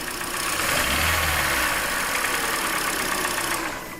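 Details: Hyundai Elantra petrol engine, tick louder when cold, revved lightly with cylinder 1 ignition coil unplugged and tick remaining; fast steady tick over hissy mid-range drone, engine tick, cause being diagnosed.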